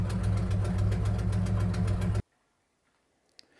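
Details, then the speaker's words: 1969 Plymouth Barracuda engine at idle with oil pressure near 80: sharp ticking about four per second over deep rumble from an exhaust manifold leak; new gasket fitted but manifold warped, needs machining. "now this one sounds really bad cuz it's got a nasty uh exhaust leak at the manifold I put a new gasket on it but uh the manifold warped it needs to be machined"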